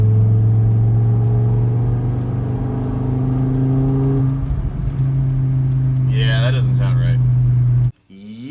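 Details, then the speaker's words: Volvo V70R driving in third gear at 2500 rpm, full throttle: heavy steady deep drone at one pitch over the engine, owner says not a good noise; loose hose suspected, cause unconfirmed. "that's not really a good noise"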